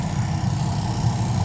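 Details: 1992 Chevy Silverado C1500 blower motor after reinstallation: it rubbed until the mounting bolts were loosened and it was reseated. Now a steady low whir on medium with no rubbing, ticking or scraping; normal blower operation.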